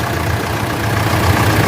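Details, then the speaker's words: Mitsubishi L200 Triton 3.2 diesel after timing chain kit replacement for chain noise: smooth steady idle, low rumble, no chain rattle; remaining noise traced to old belts, gone after tightening. "E aí virou galera zero barulho da corrente"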